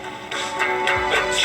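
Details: Juliette FPR-1258 AM/FM radio, reportedly partially restored (probably recapped), tuned to FM with antenna extended: loud, clear music with full treble and no hiss, crackle or fading; clean FM reception.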